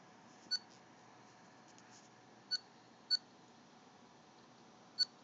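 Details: Dell Precision M6400 laptop: faint high-pitched chirps at irregular intervals, four in about five seconds, over quiet room hiss; unexplained laptop chirping noise.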